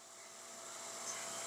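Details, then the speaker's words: Peripheral pump on a test bench, suction valve closed past about -0.4 bar vacuum: steady hissing rush that slowly grows louder, with a fine crackle. The hose crushes and vapor bubbles form; pump cavitation starting. "We close it a little more and we begin to see that the hose is crushes and there is the formation of bubbles, the so-called bubbles that are actually vapor cavities."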